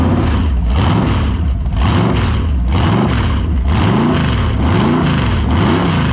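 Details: Holden 253 V8 on a bench test after a freshen-up: new bearings, honed bores, new rings, Yella Terra heads, new timing chain. Even V8 idle burble with clean, repeated rev rises and falls and no knocks or ticks. Normal, healthy engine.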